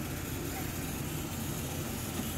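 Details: Beretta bithermal boiler with no plate exchanger, heating hot water: a rushing roar and crackly rumble as water probably boils in the limescale-clogged heat exchanger. It stops when hot water is closed; the fix is acid descaling with a pump.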